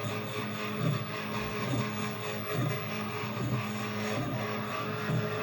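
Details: 3D printer while printing: steady motor hum with irregular low rattling bursts about one a second as the print head moves; weird rattle, and gunk seeping from the Olsson Block area, presumably melted PLA.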